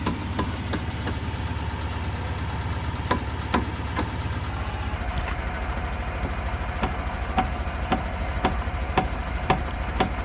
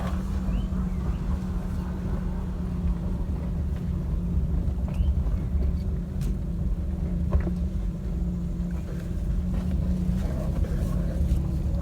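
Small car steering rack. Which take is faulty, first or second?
first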